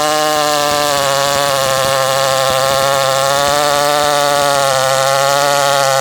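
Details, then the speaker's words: CS400 chainsaw running after a carb issue, now fitted with a Duke's carburetor, owner thinks it needs a little tuning: high steady two-stroke buzzing drone with slight wavering pitch; uneven running after carburetor replacement. "I think I need to tune it a little bit, but we had a carb issue and we'll just go from there."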